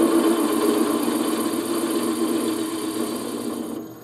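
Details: Wood lathe turning a thin piece slowed from 1400 to about 400–500 rpm to cure vibration: even, quiet cutting hiss with a soft pulse of about four per second and no rattle or chatter; the slow-speed cut runs clean.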